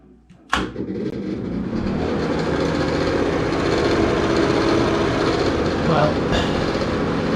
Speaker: hey everybody welcome back to the channel today i'm going to be replacing that obnoxiously loud ceiling fan in my downstairs bathroom